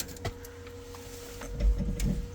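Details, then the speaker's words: Neglected 10-year-old supercharged drag car with a blown head gasket, fresh deep-cycle battery and about three gallons of fuel, key-on in neutral: faint steady mid-pitched fuel pump priming whine with a few clunks, sounding slightly off. "Got neutral. I hear the fuel pump though. Sounds a little funny."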